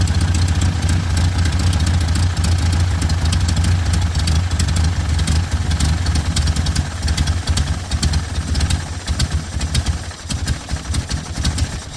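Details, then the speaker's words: 1972 Toyota Corolla TE28 after mechanical fuel pump replacement and carburetor adjustment; rough uneven idle that sags and threatens to die when left sitting, though fine when revved. "it does good under rev but letting it sit here it kind of dies off"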